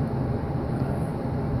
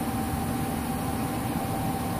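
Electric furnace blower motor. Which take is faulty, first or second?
second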